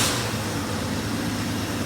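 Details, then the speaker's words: 1985 Ford F-150, 36-year-old rust-free truck with three new parts, starting right up; steady, even hum over a light hiss with no knocks or misses, normal smooth idle. "can hear it running, and it sounds pretty good. It's a 36-year-old truck."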